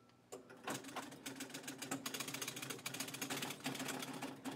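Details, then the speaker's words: Restored Gottlieb High Score electromechanical pinball machine at game start: rapid irregular chattering clicks over a steady low buzz that never stops; a relay coil is stuck on, with the cause still being traced. "that is a that's a coil that's locked on um and that's not a good thing you don't usually want a coil stuck on like that"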